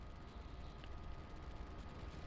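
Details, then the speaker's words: Faint steady high whine over a low rumble from the cooling fan of a Tesla-style Android head unit in a 2006–2012 Toyota RAV4, heard with the car off; radio or stereo sound masks it while driving. "As long as you have the radio or some kind of stereo on, the fan noise should be take over, so you wouldn't hear. But if you, like right now, sitting with the car not turning on, you will hear the fan noise."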